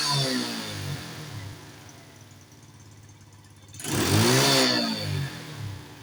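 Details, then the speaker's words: Carbureted motorcycle that backfired through the exhaust, after plugging the secondary air injection line: idle drops cleanly, throttle blip rises and falls with no pops or bangs; no backfire, running fine. "อ่ารถจะมีอาการจามระเบิดอีกหรือไม่ไปฟังเสียงดูครับทุกท่าน"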